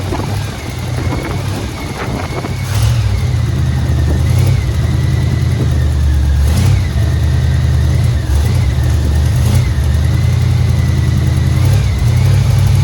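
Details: 1989 Dodge three-quarter-ton base-model truck with almost no fuel in it and primed, just after first start: deep steady engine rumble, even, with no misses, knocks or smoke. Running smoothly.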